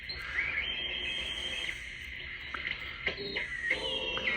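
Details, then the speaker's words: Swan 350 ham transceiver after both Jackson drives were replaced; the VFO backlash spring was knocked off and band frequencies are off. Receiving near FT8 on 40 m gives thin hissy audio with warbling, pitch-sliding whistles. The receiver sounds distorted and weak. "At any rate, yeah, the thing sounds like trash."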